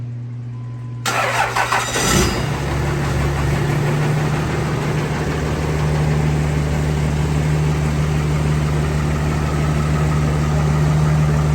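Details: Second-gen Cummins truck with a freshly built 6.7 Cummins swapped in (bigger injectors, big turbo): a short crank, quick catch, then a smooth, even diesel idle. Healthy start and idle.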